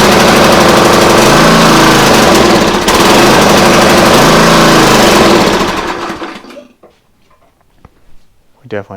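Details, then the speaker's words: Free used pressure washer small engine, only runs on choke: hammers fast and ragged then sags and dies within seconds off choke; suspected clogged carburetor. "have a carb problem so unless it's on choke it's not going to run it's not running very well either"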